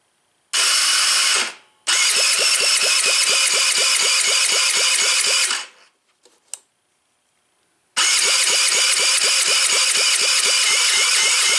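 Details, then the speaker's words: Taotao ATV being reassembled, oil full, choked, fuel reaching the carb: three bursts of even cranking about two compression beats a second with no firing; cranks but won't start, feels low on compression, possibly a burnt valve. "Still nothing. We're getting gas to the car, that's for sure."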